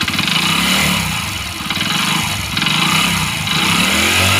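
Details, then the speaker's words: Hero Splendor small engine with a newly fitted cylinder kit, nearly no kilometres since the rebuild: silent at idle, then a thick heavy knock rising with each throttle blip, piston slap. "Engine होने के बाद यह तो kilometre भी नहीं लिए और इसका यह पिस्टन आवाज करने लगाया"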